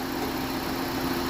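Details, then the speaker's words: Car petrol engine idling smoothly after fixing a long-running shake and stalling at idle; spark plugs and coils had been replaced without success, cause traced to the faulty idle/air control part, which was replaced. Now steady, even hum with no shaking: normal idle. "ปรากฏว่าเครื่องตัวนี้ไม่สั่นแล้วนะครับแล้วก็เดินเบาก็ใช้ได้ปกติแล้วนะครับ"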